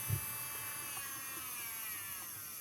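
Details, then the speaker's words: Nailmaster BQ202 nail drill, 220 V input, after replacing a leaking 2200 µF 25 V capacitor behind erratic on/off and stalling: steady high whine holding even pitch, no cut-out, clockwise and anticlockwise. Normal running after repair. "Come potete sentire funziona tranquillamente sia in senso orario che in senso antiorario. E non va nemmeno in protezione."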